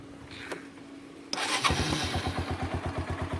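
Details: Bayou ATV after replacing its rotten muffler with a used one from a Kawasaki 300: the engine catches after cranking and settles into an even, steady idle thump of about three beats a second. Exhaust sounds clean; normal idle.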